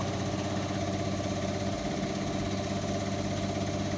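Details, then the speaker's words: Indesit washing machine after drum bearing replacement (drum housing cut open), spin picking up speed: smooth, even hum with soft steady low rumble, no grinding; normal noise, amazing difference from the previously very noisy bearings. "normal noise basically so being good right we're now entering uh quite a high speed still no problems amazing difference new bearings have made picking up speed"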